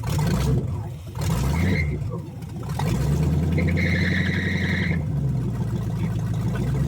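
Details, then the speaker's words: 1970 Chevrolet Chevelle V8 from a field, engine once full of dirt, freshly reassembled, timing set by hand; lumpy uneven idle with recurring stumble, sounds down one cylinder; misfire, cause not confirmed. "It sounds okay. Still got a miss, it sounds like. Still sound like we're down one cylinder, but I'm going to call this a win."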